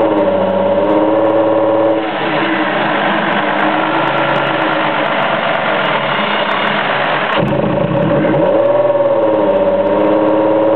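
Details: 2002 Ford Escape: two failed coil-on-plugs misfired and the unburned fuel clogged the catalytic converters. Steady idle hum, then revs sound choked and raspy before dropping back.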